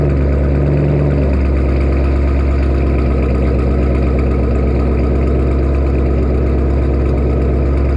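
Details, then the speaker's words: Newly acquired vehicle, first time heard running: engine catches and settles into a loud, steady, deep idle with an even exhaust beat and no knocks; normal, healthy idle. "There we have it guys. It's loud and proud."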